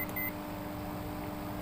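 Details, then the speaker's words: Microwave cooling fan after repair: steady, even hum with low constant drone, no scraping or rattle; fan runs smoothly. "देखिए जो कि पंखा इस समय चल रहा है, सही कर दिया गया"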